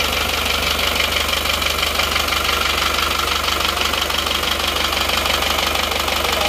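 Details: Isuzu Panther diesel idling after fitting cheap imitation "made in Japan" pistons (seher) instead of genuine Isuzu parts: hard, regular clatter about three times a second over steady idle, rough running from substandard pistons.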